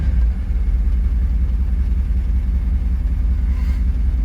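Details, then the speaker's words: Car with reverse-stall problem after new fuel filter, injectors, idle air control valve and fuel pump regulator, warmed up: low steady, slightly uneven idle in drive with no dying or surging; it later still cut off in reverse. "she's still running haha yes dammit yes I'm not gonna get too excited"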